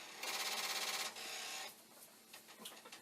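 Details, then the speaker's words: Commodore 1541 disk drive after about 1,500 failed initialize/read attempts: a second of rapid, even buzzing chatter, then a quieter whir and scattered ticks. Head knocking; drive fails to initialize or read a disk. "so i have been torturing this destroyer and we're now up to 1500 i'll wait for it 12 times that it has tried to initialize or you know read a dish"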